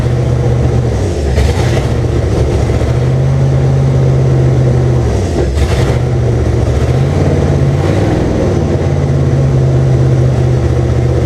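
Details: 1998 Jeep Cherokee XJ with swapped 2005 5.3 LM7 V8 (706 heads, LS1 intake, 4L60E), first start with open exhaust, makeshift fuel tank and messy wiring: loud idle hunting and surging unevenly, rough running, cause unclear.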